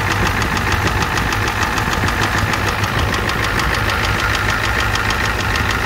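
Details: 1988 Ford F250 7.3L IDI diesel at idle: loud, steady rapping about two knocks a second over harsh clatter; engine knock with a high-pressure fuel line leak, white/grey exhaust smoke, smoke from the oil dipstick, oil in the add zone.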